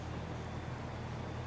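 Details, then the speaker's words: Carrier air conditioner outdoor unit: compressor gives a steady low hum with no run-up, trying to start but not turning over; contactor pulls in; capacitor suspected, not confirmed. "i do hear that compressor trying to start but you see that contact they engage or pull it in yeah"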